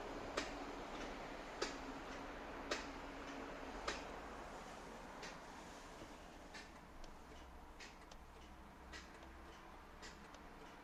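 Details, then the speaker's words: 2000 Jaguar XJR that won't start: sharp single clicks about once a second with no cranking, as the solenoid pulls in but the starter motor won't turn. Failed starter motor; problem solved. "втягивающий срабатывает, а стартер не хочет. Вот такие пироги."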